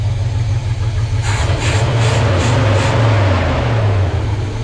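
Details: 1970 Chevy C30 V8 after Rochester Quadrajet rebuild and new fuel pump, running on its original fuel system and warming up: deep, steady burble with even idle and no misses or knocking.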